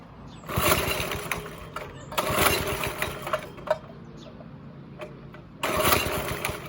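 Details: Go-kart with a 5.5 HP Briggs & Stratton after sitting about a week and a half: the engine surges in rough bursts and sags between them instead of holding revs, sounding restricted. Cause found: the throttle cable came loose and its hanger came out.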